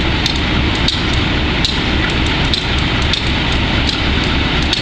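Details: Wimpy Mtl B30-7 diesel locomotive with bad injectors: loud diesel rumble with uneven knocks about every second, running rough; air intake and some injectors were changed and valves checked.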